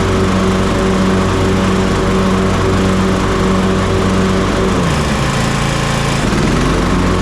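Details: Toro TimeCutter MX4200 74765 zero-turn, had smoked and died off choke; on fresh ethanol-free fuel with fuel lines refitted: steady even beat off choke with brief speed dip midway; sounds healthy, earlier cause unknown.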